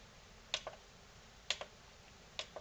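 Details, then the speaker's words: NAD C370 amplifier with delayed speaker relay turn-on then chattering: three pairs of sharp quick on-off clicks about a second apart on a quiet background; speaker output relay dropping straight out, speaker A output suspected. "relays are clicking when i do that maybe read as normal it was a very quick on off click i don't know"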